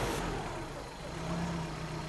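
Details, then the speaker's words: Suzuki Vitara petrol engine idling unevenly, sagging and recovering, as a leaking fuel pressure regulator intermittently lets fuel be sucked into the intake and richens the mixture; the problem returned after an earlier visit. "Naga-up and down yung ating idle kasi hindi naman din constant na maglalabas siya eh ng fuel kasi nga may leak lang siya"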